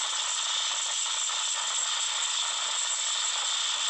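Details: Samsung Note 9 loudspeaker randomly makes weird noise during playback, stopped only by rebooting the phone: steady harsh high crackling hiss with no low end; cause unknown.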